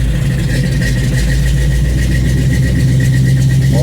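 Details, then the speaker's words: 1955 GMC truck with Pontiac V8, first start after an intake manifold change, primed with gas down the carb, in park: steady, even low rumble at 800 rpm, no knocks, misses or hunting; normal idle. "Oh, she lights right up. Oh, green line tack works. It's actually idling 800 RPMs."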